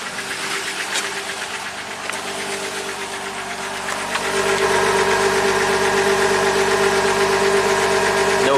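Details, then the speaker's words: 2019 Jeep Wrangler Rubicon Pentastar V6, 72,000 miles, P0300, shaking and low power: quick even clack about four times a second over a slightly lumpy idle, bank 1 knocking and running lean; valvetrain tapping suspected, not confirmed. "Let's fire it up. Oh, it does have some kind of clackety clack under the hood. [Music] doesn't seem to be misfiring. It's a little rough,"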